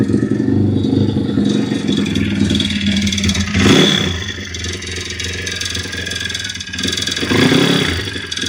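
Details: YX-1 160 four-stroke single revving up and down with an uneven metallic clatter coming and going. Fully torn down with valves adjusted; small piston-pin play, no conrod or cam play, but the cam slipped out with its bearings; slight ringless piston play in the cylinder. Floating knock source unknown.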